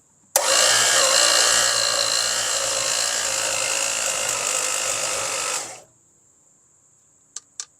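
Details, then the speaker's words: Long-sitting seized Chrysler slant six engine, first starter try: steady high whir about five seconds with no cranking rhythm; starter can't turn it because a valve is stuck, bending a push rod. "that's not moving NOP that just bent that push rod again yep that's no bueno I mean it didn't even want to move that valve"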